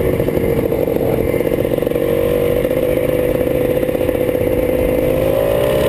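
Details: Drag race car at full throttle: engine note climbs slowly and steadily, revs rising more than the pull; owner says the clutch is slipping.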